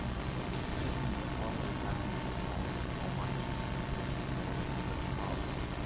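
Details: Desktop PC with ASUS motherboard feeding a small mixer and Yamaha HS5 studio monitors, recorded from the mixer output: steady low hum with constant hiss that persists with the monitors off and the cards and USB removed; ground loop hum.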